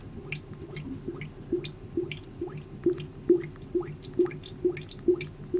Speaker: And you can see where the gasket's bad. It's bubbling, bubbling, bubbling.